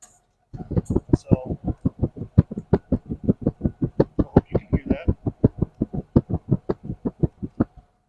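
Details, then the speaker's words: Buick Roadmaster LT1 with an open-air-cleaner intake, recorded at the rear exhaust: this side gives even puffs at about four per second at idle and sounds healthy. The other bank misses; owner suspects a spark plug or plug wire. "sounds pretty decent this one foreign just every once while it gives a little puff you know and so I uh I hope that means it's just a spark plug or spark plug wire and then it's easily fixed"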